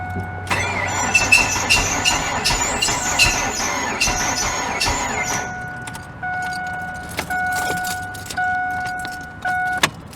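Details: 2000 Ford Focus that tries to crank but won't start: engine turns over slowly and laboriously under a harsh, steady screech and never fires; seized AC compressor pulley bearing dragging the engine.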